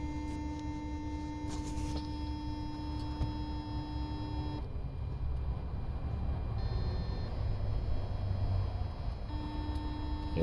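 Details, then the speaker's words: 2007 Jeep Compass 2.4L, code P2004 intake runner control stuck open, customer-installed new intake manifold and actuator; engine idling, scan tool commands flow control valve to position 2 and actuator just buzzes, clicking without moving; intake jam suspected. "So now if we turn this on, you'll see our position goes up to 2, and it just buzzes."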